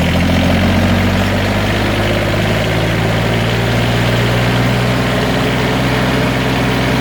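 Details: Deep, steady diesel idle with even firing and no squeal or whine; it previously squealed from the cable in cold weather, and now the engine sounds healthy and settled.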